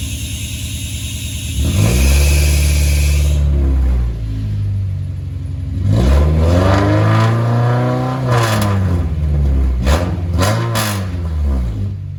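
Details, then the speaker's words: 2001 Honda CR-V RD1 with exhaust pipe rusted out just in front of the muffler, to be fixed with a welded-in pipe section: revs rise and fall with a loud, raspy, blatting exhaust note far beyond stock; exhaust leak. "It r uh pipe rusted out right in front of the muffler. So, we're going to get a new piece of pipe in there, welded in. As you could hear, it's pretty loud."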